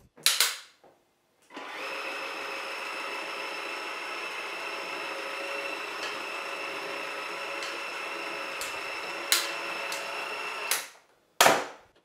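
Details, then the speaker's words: Cecotec Freego Wash electric mop picking up spilled liquid: even high-pitched suction motor whine with a few sharp clacks as the handle tilts; clacks are the handle joint locking, normal. "les claquements que vous entendez quand je le manœuvre c'est l'articulation ici vous voyez c'est le verrouillage de l'articulation quand on incline le manche"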